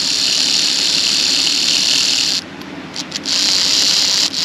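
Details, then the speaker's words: 46-year-old train set motor fed directly from a battery: thin high-pitched whine dropping out in short gaps; motor turns but slowly, problem suspected in the pickups. "Don't know whether you can hear that, but she's definitely definitely turning."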